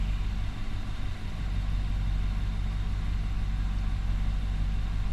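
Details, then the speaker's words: 2019 Nissan Armada after throttle body cleaning and idle air volume relearn, coolant at 71°C: warm engine idling smooth and even with no misses or hunting. "And it is idling good. I mean, it looks like it's idling smooth. It's idling right where it needs to be."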